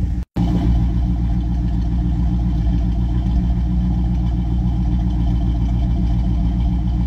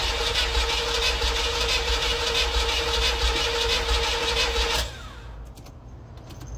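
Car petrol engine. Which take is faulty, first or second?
second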